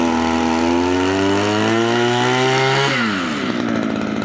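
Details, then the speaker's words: Used Japanese Mitsubishi TL26 two-stroke brush cutter, 4.8 kg, original and starting easily, with a Robin-style squeeze throttle fitted: a smooth, quiet buzz rising evenly in pitch, then dropping back cleanly when the throttle eases. It runs healthy, with adjustable idle. "เสียงมิซูค่อนข้างนุ่มหูเงียบนะครับแล้วตัวนี้ได้เบาสตาร์ทเบาติดง่าย"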